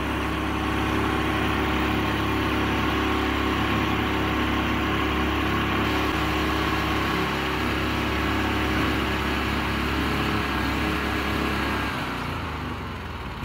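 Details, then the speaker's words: Honda GX340 11 hp single-cylinder engine, carb and tank cleaned, running unmounted on concrete: steady, even fast idle with smooth firing and no misses or knocks. Normal running. "how's that how's that we got it running 1111 horsepower of Honda it's about as much more power than all the rest of my Honda cars"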